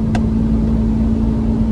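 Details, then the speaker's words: 1997 Chevrolet Camaro RS 3.8L V6, code P0305 cylinder 5 misfire, driving uphill under load: engine drone with a sharp backfire pop, worse below 2000 rpm; plugs, wires and coil pack tested good, coil still suspected. "it generally misfires under load up a hill so let's see what happens yep misfires backfired"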